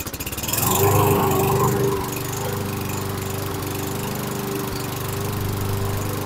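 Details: 2011 Toro Recycler mower model 20376, just after blade brake cable replacement: brief surge then slow, loping, wavering chug; rough low idle, sounds like low RPM before bending the governor spring tab to raise it; Seafoam planned for fluctuation.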